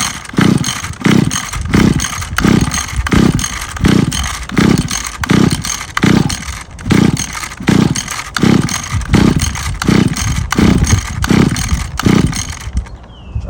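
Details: Free Mantis Mini Tiller two-stroke with replaced carburetor and fuel line, cold day, choked and primed: pulls over in bursts, catches briefly then stalls; carburetor needed adjusting, after which it ran but somewhat boggy.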